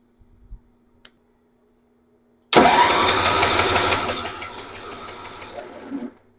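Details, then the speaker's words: Massey Ferguson 7 lawn mower, an auction buy that sat for many years, cranks about three seconds at roughly three turns a second and never catches; the badly fouled old plug gives just one spark in all the cranking. "well it made absolutely or exactly one spark one time out of all those cranks"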